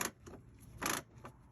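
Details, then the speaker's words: Whirlpool/Maytag commercial top-load washer shifting from agitate to spin: uneven bursts of dry clattering rasp as the stripped clutch slips before the basket spins; fix is replacing the clutch. "when it grabs when the shifter that when it moves this way pushes it you hear that noise and then it's going to start to spin the basket"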